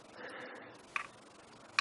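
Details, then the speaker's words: 1968 MGC converted to LED lights with new flasher unit, right turn signal on: crisp evenly spaced clicks about every 0.8 seconds in quiet cabin, sounding slightly different from the old unit but flashing normally. "so I've turned to turn on the right blinker and you can hear click click so this flasher unit has the sound the clicking sound just like the old one I mean it sounds a little bit differently but it's it's indicating the way it should"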